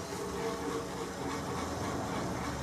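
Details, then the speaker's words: Small workshop heating pump that over-pumps then cavitates, heat reaching only to one corner; owner suspects a blocked pipe or heat exchanger: steady gravelly rushing with faint rattling over low pump hum; circulation pump cavitation. "then it cavitates, and then when you turn the pump off again, this piece of pipe where my hand is gets warm."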